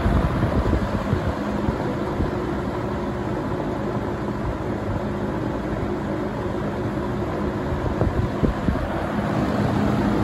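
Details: Vintage 1970 or 1971 Windsor (Lakewood P-21) box fan on low speed: steady low hollow whoosh with an even hum near 200 Hz, no knocks or rattles; normal running.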